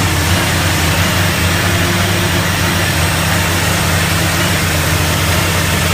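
Loud, heavy idle with an uneven, lumpy low throb and no steady rhythm; the engine is idling rough, cause not identified.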